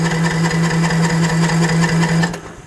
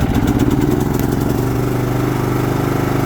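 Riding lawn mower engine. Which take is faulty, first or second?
first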